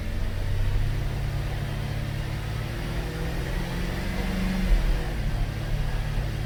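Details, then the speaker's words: 2013 Cadillac SRX, 114,000 km, on hoist with traction control off, after replacing rear driveshaft assembly for failed hanger bearing: wheels spinning give steady even low drone, no shudder or rhythmic thump; severe driveline vibration fixed. "That's fine now."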